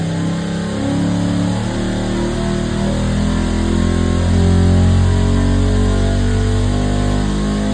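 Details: 534ci big-block Chevy V8 on the dyno in a cold shop, doing an air cleaner test pull that made about 626 hp and 650 lb-ft. It climbs smoothly through the revs with a deep, even roar and no knock or miss. A normal pull.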